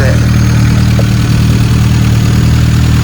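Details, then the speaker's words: Honda Civic R18 with a built shortblock, freshly started after sitting a long time: deep, steady, smooth idle with no ticking or knocking, a touch loud; they think it needs breaking in. "How loud is loud? A little loud. I think it needs to be broken in."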